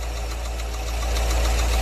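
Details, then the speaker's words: Fiat Uno with rebuilt engine and new Sachs clutch idles quietly, then picks up a rough knocking rattle as the clutch pedal goes down; clutch release bearing noise from a defective new clutch, gearbox removed. "precisamos conferir o porquê desse barulho quando você pisa na embreagem dá todo aquele aquele barulho ali complicado né"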